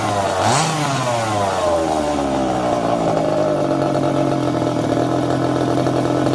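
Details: Secondhand 1/5 scale RC Baja small two-stroke; quick rev then steady, even high idle; running fine.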